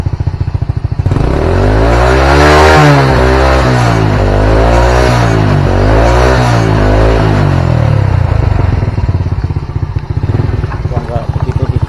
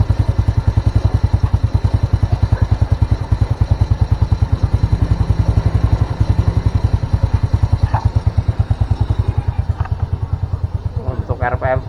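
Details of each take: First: Old Honda Supra single-cylinder motorcycle after carburetor rebuild (new pilot jet, needle and main jet seat; old main jet reused), idle set around 1300 rpm: blips twice, settles to steady even idle. Previously hard cold starts, black plugs, rich black smoke. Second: Old Honda Supra that starts hard in the morning, with black plugs and black exhaust smoke at mid-high revs: slow, uneven idle thumping, running low and dying when revved. Rich mixture, possibly from a worn carburetor needle.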